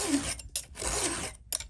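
Rasping file strokes in short bursts with a thin squeaky edge, the sound of filing the raker against the wrong direction.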